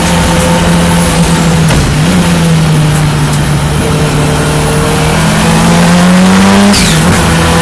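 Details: Ford Escort Cosworth race car in first practice at Knockhill, May 2024: a loud engine pulling hard through the gears, the drone stuttering and dropping out now and then; an intermittent misfire or ignition cut under acceleration, cause unclear.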